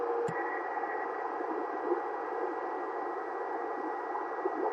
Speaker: I don't know if y'all can or not but hear that whistling I'm switching back and forth 38 39 40 39 40 39 it's kind of an annoying carrier sound